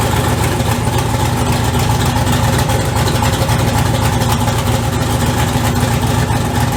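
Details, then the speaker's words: LSZ turbo engine at idle after pre-lubing the turbo, checked for leaks at the custom welded pipe: steady idle with a puffy, chuffing edge on each pulse; five leaks found at welds and flanges. "I found I think there was one two three that there was five it was five leaks on this whole pipe which is meant because that's a lot of freaking welding"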